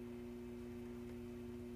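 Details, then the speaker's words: Newly recapped Silvertone 4586 tube radio tuned across the AM band toward 550: faint steady low whine, no stations received; one 6F6G output tube barely lit, possibly related. "what you're hearing me slowly tuning through the am band this is all the noise i get going back the other way the dial back towards 550."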